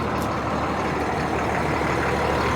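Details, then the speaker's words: Beverage truck after frame cut-and-weld repair, diesel idling with air and oil pressure up; even steady idle, no hiss or sputter from air lines, brake system holding pressure without leaks. "okay we got good old air pressure oil pressure and all that"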